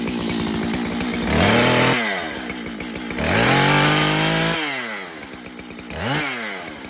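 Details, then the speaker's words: Husqvarna chainsaw with chain tensioned too tight, choke-started, full throttle: revs up then stops very quickly on let-off with a short singing whine; chain overtightened, to be backed off to correct tension. "I don't know if you can hear when I let off the throttle it stops really darn quickly and it kind of sings a little"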